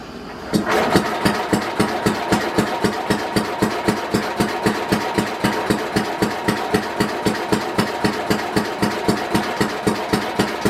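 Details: 1967 Simplicity Landlord 2010 lawn tractor, rear PTO unplugged, fuel on, spark and fuel present: steady cranking about four compression pulses a second, no firing; won't start, ignition timing found way off.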